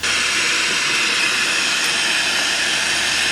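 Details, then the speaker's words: 1990s Polytron PSC 35WB cassette/AM-FM radio, FM stereo band: a steady, even rushing hiss with no station, voice or music; the tuner receives no broadcasts. "Không thể bắt được bất kỳ đài phát thanh nào. Chỉ nghe thấy tiếng rít."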